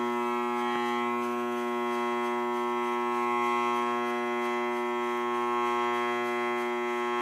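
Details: Furnace running with a steady, loud, intermittent electrical buzz with a rich stack of tones; diagnosed as a bad blower motor, temperature rise (delta T) correct.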